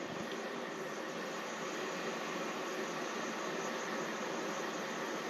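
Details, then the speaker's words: Pressurised camp-stove burner after a single priming pump: a smooth, even hiss with no sputtering or surging that stabilises after about a minute, with the flame then held by the lever; the burner is running properly. "so you can hear that hissing that's what you want to hear and so you do that for roughly a minute and you'll hear that hissing kind of get stabilized"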